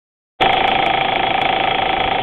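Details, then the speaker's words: Audi A4 petrol engine at hot idle after about an hour's running, oil temp above 200 degrees; fast, even ticking heard only at idle, traced to a bad hydraulic chain tensioner at the back of the head. "all right here's the noise we get after driving for a while engine is nice and warm it's is running probably an hour or so"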